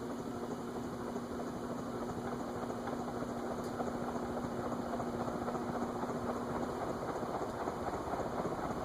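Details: Vintage TAT (Wing Tat) Mistral ceiling fan with cast iron spinner motor, running on the workbench after a repair: steady, even low motor hum with no knock or tick, the earlier noise gone; normal running.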